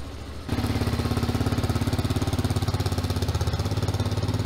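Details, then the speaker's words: 2021 TaoTao TBR7 229cc single-cylinder dual-sport motorcycle after rejetting the stock carburettor, warmed up a little on a ride: pulls hard with crisp even beat; normal running after carburettor rejet. "woohoo doggy she's ripping with the new jet baby wow this thing's a beast you can hear it's idling pretty high now"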